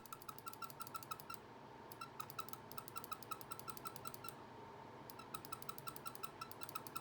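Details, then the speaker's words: Glorious Model O gaming mouse after 3 months of use: left and right buttons clicked in fast bursts, about eight a second, sounding sharp, squeaky, thin and uneven; click sound has degraded. "The first problem with it is the sound of the left and right click after a while."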